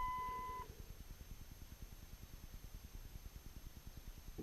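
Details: 2002 Dodge Ram 2500 Cummins turbo diesel, key in run with wait-to-start light on before a cold start; short dash chime then quiet even ticking about three times a second as the grid heater relay cycles. Normal grid heater relay ticking during preheat.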